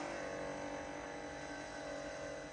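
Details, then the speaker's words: ABS/ESP pump run by a scan tool actuation test: a faint steady electric hum at constant pitch throughout the test cycle; normal ABS pump operation. "So if we go, we're in the ABS section, ESP should we say, and this is another one, this is another example, and we'll see what it can do."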